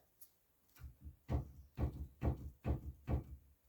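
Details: 2005 Chevy Express, sway bar levered up and down with a pry bar to simulate a bump: dull, low clunks about twice a second. A sway bar rubber bushing has excessive play and clunks or rattles over bumps.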